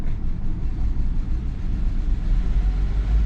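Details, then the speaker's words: Honda CR-V repaired after bent valves, first start on a jump box; deep, uneven, lumpy rumble with the beat wandering and surging, rough start but it runs. "alright guys so let's give it a whack here there we go it's kind of a rough start"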